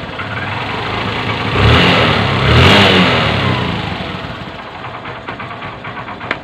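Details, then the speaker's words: Honda CB125 after piston ring and valve seal replacement, idling in neutral: revs twice then settles smoothly with a light clutch rattle that disappears when the clutch lever is pulled; clutch damper suspected. "oh pero pag binita mo yung kanyang clutch level nalagot to pag pis mo nawawala aan napak pino ng andar oh matitindi"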